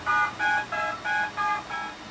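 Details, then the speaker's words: Homemade 8-track tape backup drive reading a tape through stereo RCA output: short clean two-tone DTMF beeps, left and right tracks each with a different code; normal data tones. "so that's left and right stereo tracks each with a different DTMF code"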